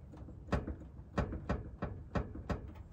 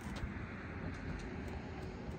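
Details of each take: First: Toyota 4Runner: dull, hollow knocks about every half second as the hood is pressed, loose metal rattling at the latch; the hood latch has play, fixed with tape. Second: Toyota 4Runner driving after the tape hood-latch fix: only steady road rumble, no clicks or rattles from the front end; hood now sits quiet and secure.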